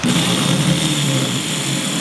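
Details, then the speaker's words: MGC-type M418G starter motor bench-tested on its own, fed directly; steady high-pitched whir at constant speed with no grinding or dragging, spins freely and sounds good, so the motor is fine. "we can try just just the motor itself sounds good so it's good"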